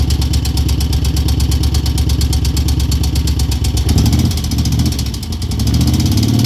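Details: 2002 Moto Guzzi California EV V-twin at lumpy idle: crisp light top-end ticking about three a second; cause unknown.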